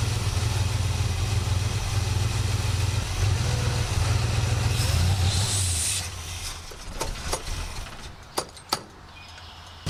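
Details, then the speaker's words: 1967 Buick GS340 at cold start: an uneven low idle stumbles for about six seconds, then the engine dies, followed by clicks. The owner blames the ignition system, and faulty points were later replaced. The remanufactured carburetor's idle circuit was also flowing poorly. "This thing is just not happy with that ignition system. It's alright. We'll take care of that freaking problem."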